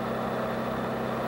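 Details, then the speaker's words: Toyota 4FG/4FD forklift, torque converter stall test in forward gear at full throttle: a steady, even loaded roar with no flare. Speed falls from a 2600 rpm maximum to a 1700 rpm stall speed. Normal. "this truck's maximum speed is 2600 RPM the result of the stall test is, 1700 RPM"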